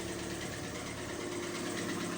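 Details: Citroen C3 engine at idle with a fast, even knocking tick that persists after the oil pressure light goes out; owner tried valve adjustment via screws and locknuts without effect, cause unknown.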